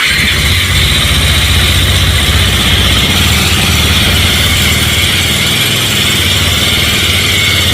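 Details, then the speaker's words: Bajaj Pulsar 220 motorcycle at steady idle: strong metallic rattle and hiss riding high above the beat, about four per second; abnormal engine noise, source unknown. "इस bike में बहुत ही घटिया आवाज दे रहा है।"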